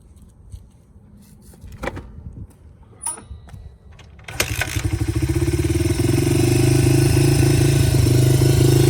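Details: Honda XR80 dirt bike unstarted for 10 years, after carburetor cleaning and adjustment, oil change and cleaned filter: catches on the kick and settles into a steady, even beat that builds smoothly; running healthy.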